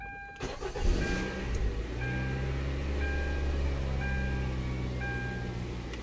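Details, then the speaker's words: 2011 Kia Sportage 2.4 4x4, said to start then shut off and shake, owner told engine needed replacing: starter whirs briefly, engine fires and settles into an even idle with a warning chime pinging about once a second; engine sounds fine so far. "encendio parejito miren está parejito el motor a ver para mí el motor creo que se siente bien"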